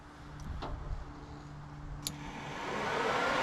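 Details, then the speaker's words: Electric fan relay wiring on a 1973 Chevy C20 with two cheap 12-inch electric fans, stock shroud removed: relay clicks when the white signal wire gets power, then a steady, smooth rush of air builds and holds; fan running normally. "fan comes on. Pull this off, fan goes off."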